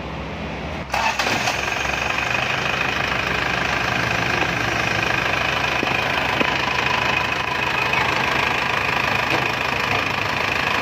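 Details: Isuzu Panther 2.5 diesel first start after overhaul with new main and rod bearings, piston rings and liner boring: starter catches, settles into an even idle with light normal clatter, no knocking; healthy.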